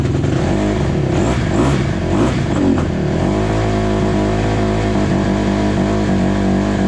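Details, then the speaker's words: 2008 Honda CRF150 single-cylinder dirt bike, refueled after running out of gas: uneven, stumbling revs failing to climb cleanly when throttled; runs but won't take throttle, fuel starvation suspected. "Yeah, she runs. Just can't give it enough gas."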